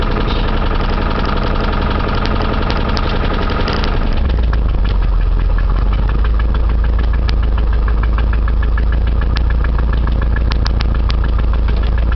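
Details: 1989 Chevy Camaro engine idling after start with a loose, irregular internal knock about three times a second; owner was told rod knock, cause unconfirmed, rebuild planned anyway.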